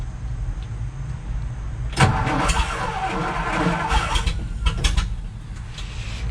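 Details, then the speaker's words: 1962 Ford F-350 manual, off the road 24 years, engine rebuilt, choke all the way out: low starter churning, then a rough sputtering burst that never settles; crank no start, owner suspects too much choke or low fuel. "Maybe give it a little less choke. Huh, well, she did run. That's how I got it in here."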